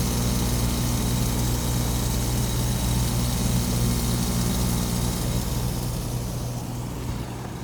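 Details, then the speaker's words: One-month-old Trane packaged A/C unit, compressor previously overheated in 103°F heat then restarted: loud, steady low hum with rough rattly edge, pressures not changing; compressor not pumping, scroll suspected shattered internally. "You can see it's not doing anything. And I've heard there was like an email or a bulletin put up or something saying that essentially the corkscrew inside, which is the blades that spin, that they are shattering"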